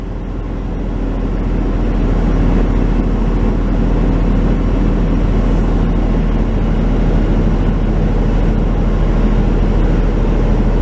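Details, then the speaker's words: 1996 Chevy Tahoe, idle already around 1200 rpm, rpm surges when shifting into gear; just reassembled after throttle body/Idle Air Control work: fast steady idle with dense low rumble, higher than normal, even worse than before; IAC or TPS suspected, unconfirmed. "so what happens now how's that it's even worse well that's really interesting how is it possible it got worse"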